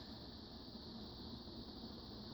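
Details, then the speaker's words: 36-inch Strato-Fan industrial/commercial ceiling fan on a solid state variable speed control: soft, even airy whoosh, dead silent with no motor hum or rattle; running smoothly and quietly. "This is definitely bedroom quiet with the solid state variable. Yeah. No kidding. It's dead silent."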